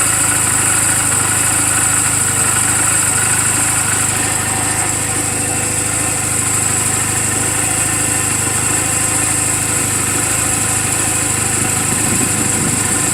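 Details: 2007 Honda Rebel 250 idling in neutral just after an oil change and valve clearance adjustment; steady, even thrum about three beats a second, no knocks or ticks. Owner says it runs perfectly; normal idle.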